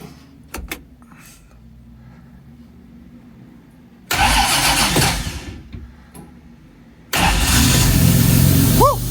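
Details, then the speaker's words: 1957 Jaguar XK150 FHC first start after restoration with rebuilt twin HD6 SU carburetors, baseline settings: cranks, catches and revs with a loud airy hiss from the starting carb enriching while cold; runs smoothly, normal. "You can hear the starting carb hissing away. Pressure. Getting warmer."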